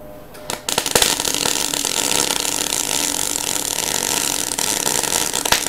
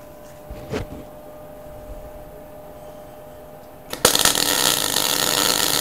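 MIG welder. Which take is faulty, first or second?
first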